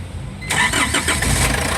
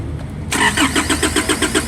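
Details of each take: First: Foton Transvan with 4GB1 engine, previously cranking with no start, after the relay was fixed: brief crank, then the diesel catches within half a second and settles into a steady, even idle; normal start. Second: Foton Transvan (4GB1 engine) that died after a few km, with no check engine light and no ECU communication on scan: the starter cranks evenly at about four compression pulses a second for three seconds and never fires. Failed ECU relay causing crank no-start.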